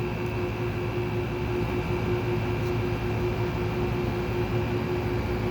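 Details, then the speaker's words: Window air conditioner at startup drones steadily with a constant mid-pitched whine and faint high tone over a low rumble; owner attributes it to worn bearings, which began a couple of years ago. "[Music] and of course the bearings are going down in it it only started doing that a couple years ago it's kind of weird"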